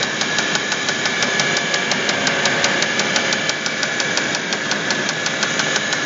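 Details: Audi A8 D3 engine at idle: sharp, hard metallic clattery knocks about three per second; cause found to be a connecting rod (worn or spun rod bearing knock).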